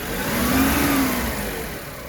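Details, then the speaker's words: 1997 minicab petrol engine at idle. With the carburetor idle screw at full adjustment, pressing on it makes the idle rise briefly in pitch and then settle. Owner doubts this screw is the cause of the fault. "when I put pressure on it you hear it Go idle goes up a little"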